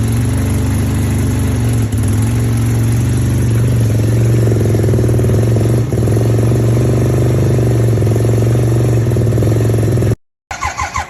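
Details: 1975 Suzuki RE5 Wankel rotary motorcycle, all original, cold starting: smooth, deep, steady hum at settled fast idle with no knocks or misfires; runs clean, normal running.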